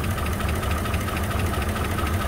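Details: 2004 Chevy Silverado 5.3 L V8, 225,000 miles, mud-like oil, almost no oil pressure, blowing blue oil smoke: steady idle with a dull, fast tapping knock under the low rumble; engine tapping from oil starvation.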